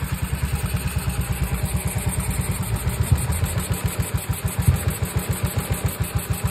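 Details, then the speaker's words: Yamaha Mio i 125 after repair: even, steady single-cylinder putter at idle, about two pulses a second, no misses or stumbles; idle now stable and healthy. "Ayan. Okay na po ang menor niya. Table na po siya."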